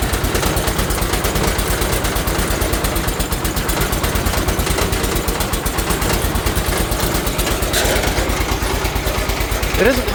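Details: 1980 John Deere 216 garden tractor mid-restoration, first start of the morning while cold, with a stiff choke: an uneven, lumpy beat about three firings a second, stumbling and not settling. It runs rough while cold.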